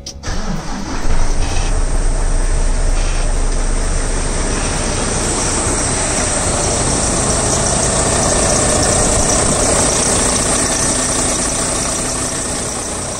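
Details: Volvo D13 truck diesel that died while driving, with a blown FE4 ignition fuse and a melted ECM connector pin, after ECM replacement and fault clearing: cranks and catches quickly, then settles into a steady, even idle with no knocks or misses.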